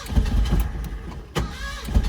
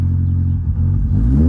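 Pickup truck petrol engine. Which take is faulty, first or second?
first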